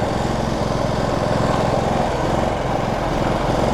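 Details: Generac GP3300i inverter generator (model G0071532) that starts and runs well but won't shut off with the switch. The engine keeps a steady fast pulse without dying while the front panel is opened to find the switch.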